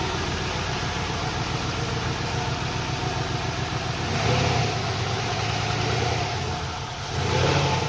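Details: Volvo 240GLE turbo LS2 project car, after 15 litres of E10 were added because it had been sucking air at a third of normal fuel pressure. Steady, even idle with two clean throttle blips that rise and settle smoothly; normal.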